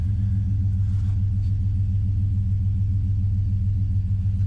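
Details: Chevy 2500HD tow truck idling after a MechMan alternator install and belt refit: a deep, smooth, steady rumble with no knocks, squeals or belt chirp; no codes and strong charging voltage; normal idle.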